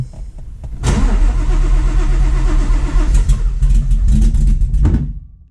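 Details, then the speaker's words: Fox-body Mustang, supercharged cammed Coyote V8 with ported Boss 302 heads, now on 775 injectors. It cranks steadily at about four beats a second for four seconds and never catches. Owner suspects it needs more fuel and possibly has wrong ignition timing; unconfirmed. "it also seems like it needs more fuel cuz I should be like burning my eyes out"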